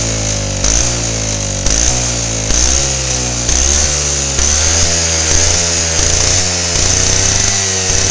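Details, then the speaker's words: Lawnmower engine on 10% ethanol (E10) fuel, 53° outside, spark plug wire unhooked, swells and drops about once a second with rising pitch; owner suspects hot spark plug and engine ignite the ethanol, causing run-on surging. "that's what it's doing is it's the ethanol it was 10% ethanol in the gas and when the spark plug gets warm enough the ethanol will ignite from the temperature of the engine and the temperature of the spark plug and when it does that you hear the thing take off"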